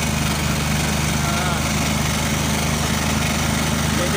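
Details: Oasis150 small single-cylinder diesel after emptying diesel and bleeding the injector fuel line to cure a no-start: thumping along at a steady, even idle with no misses or hunting; runs clean.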